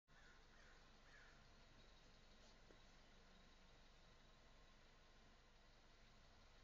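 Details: Starter cranks faintly and steadily at about three turns per second but never catches on a 1997 Audi A4 1.8T that shut off on the freeway. ECUs, fuel filter, fuel pump and fuses were already checked with no codes. Diagnosis: failed timing chain tensioner; the engine was replaced.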